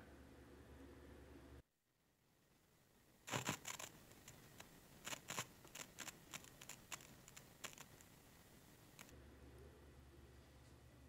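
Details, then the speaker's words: PreSonus Monitor Station V2: irregular crackles and sharp pops through the speakers while turning the volume knob, from a dirty volume potentiometer, before cleaning with electronic cleaner. "that's the sound of my monitor station version two it's crackling when i turn the volume knob which has gotten really annoying to the point that i'm ready to go ahead and try to fix this"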